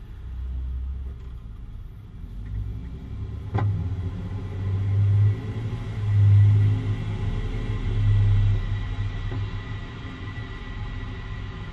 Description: 2013 Jeep Wrangler Unlimited popping/dump noise right after takeoff